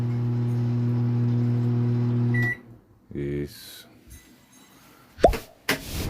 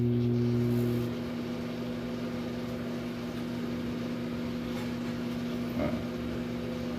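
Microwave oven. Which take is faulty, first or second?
first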